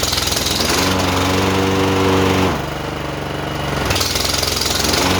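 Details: John Deere JX85 commercial walk-behind mower after carburetor rebuild and clean fuel, blades being engaged: steady single-cylinder beat bogs slightly under the blade load, then recovers evenly with no surging. Running healthy under load.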